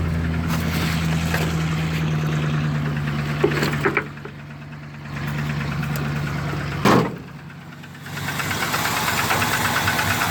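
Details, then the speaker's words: 1987 GMC 1-ton donor truck started after sitting, carburetor expected to flood: rough idle with a light, uneven knock about three per second. "little knockage"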